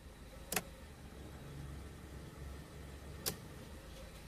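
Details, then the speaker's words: Suzuki Karimun kotak after carburetor overhaul and idle/air readjustment, headlights on: soft, even low idle rumble holding steady at 800 rpm with no hunting, a few clicks; normal stable idle (standard 700–800 rpm). "Bro Nah sudah masih stabil di angka 800 Bro 800 Ia memang untuk standar stasioner RPM buat Suzuki Karimun kotak ada yang 800 ada yang 700"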